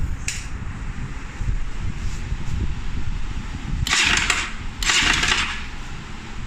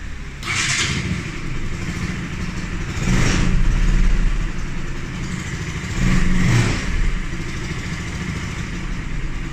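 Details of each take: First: Pulsar NS 200 single-cylinder idling with an uneven light clatter and two short hissy throttle bursts; strange noise traced to a loose camshaft sprocket. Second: Bajaj Pulsar NS 200 after repair of a strange engine noise, reassembled before returning to the customer; engine idles smoothly through two throttle blips with no ticking or rattle, the noise gone.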